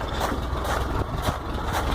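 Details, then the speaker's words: VW T25/T3 Devon camper with Weber IDF carburettors (no choke), first completely cold start after pumping the pedal five times: steady low rumble, even firing with slight lumpy beat, oil pressure and alternator lights out; normal idle. "Obviously oil pressure light, alternator light is out, and that's completely fresh cold start."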